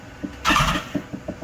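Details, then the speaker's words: 2015 BMW S1000RR after engine swap from crashed bike, intake cleaned with foam cleaner: short starter spin with soft compression thumps but no catch; cranks without starting while the cleaner residue clears. "it's not going to start right away because of all that power foam remember the the power foam has got to clear out"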